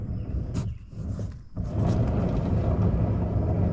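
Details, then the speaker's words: Trailer hub with a bad wheel bearing showing lots of play; after some handling knocks, a rough low rumble continues as the wheel spins, the sound of a worn wheel bearing. "that's just that's the sound of a bad wheel bearing"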